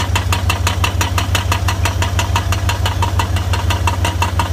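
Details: 1999 BMW 540i, 186,000 miles, at start-up and revving: sharp metallic ticks about three a second over low engine hum, louder from under the car than under the hood; rattle, source not identified.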